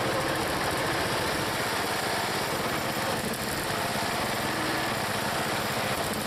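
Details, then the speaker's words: Small log splitter engine on a cold day, Seafoam added, under splitting load: even drone without bogging, missing or hunting; it is running well. "nothing wrong with that engine that engines running good I put some seafoam in it and boy not bad at all"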